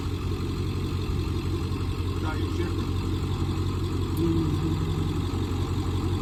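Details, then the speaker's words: Michigan 35A wheel loader with Continental six-cylinder gas engine, sat for years, old undated battery, cranked on jump box: slow, labouring, uneven crank about three turns a second, never catching; something seems to drag it down, cables then moved straight to starter. "still sounds like something's drawing down on it or something so now we're going to try and hook the cables right to the starter to see if it spins over a little faster"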